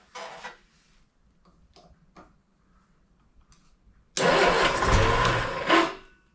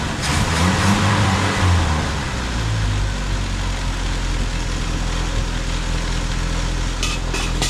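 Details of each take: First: 1971 Triumph Spitfire Mk III four-cylinder, first start attempt after 14 years, jumpered ignition coil: brief cranking bursts, then coughs and roars roughly about two seconds before dying; flooded with fuel. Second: 1971 Triumph Spitfire MK III four-cylinder, first run after 14 years: catches and settles into a steady low idle with a fairly even beat, only a slight rattle; normal idle.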